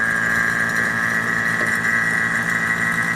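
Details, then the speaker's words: AC vacuum pump evacuating the repaired AC system of a 2000 Ford F150 5.4L via the manifold gauge yellow line: steady high-pitched drone with low hum underneath, constant; normal vacuum pump operation. "as you can see, we're already doing a vacuum. It's been running for 30 minutes."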